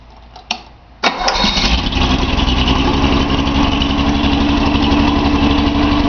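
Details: Nissan 280Z L28 six-cylinder, cranks and catches within a second, then idles with irregular pulse about four per second; misfire suspected on cylinder 6, disabling its injector had no effect despite clicking; owner suspects clogged injector, Colortune plug fitted.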